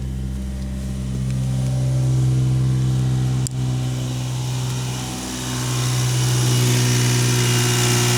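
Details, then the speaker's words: 1991 Daihatsu Mira van, cold start after oil-soaked parts replaced and fuel system primed; steady, smooth low idle with even beat, no misses or knocks; slightly smoky at startup, running clean and healthy. "Listen to how healthy that sounds now. It was a little smoky at the startup, but this is how it's supposed to be. It's a cold start."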